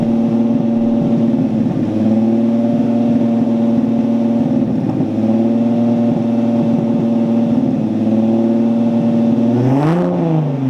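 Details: Datsun Z with the newly welded exhaust fully sealed up: a steady, deep, throaty idle with one rev blip and no leak hiss or ticking. Normal exhaust note.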